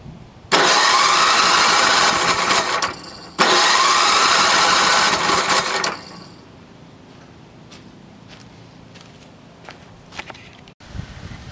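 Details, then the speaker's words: NOMA 8hp snowblower, choke on then opened, primer doesn't seem to work; two long electric-start cranking bursts, engine never catches. Cranks but won't start, fuel starvation; carbony piston, some exhaust smoke. "open that choke primer doesn't really sound like it's working"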